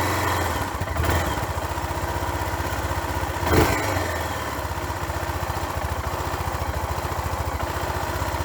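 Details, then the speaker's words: 25-year-old motorcycle with only 6075 km, carburetor half clogged from sitting then cleaned with Liqui Moly MTX: catches after a short crank and settles into a steady, even idle with no misses or knocks; normal start and idle. "You can see and hear that the engine runs perfectly, and there's nothing wrong with the whole machine, as they say in German."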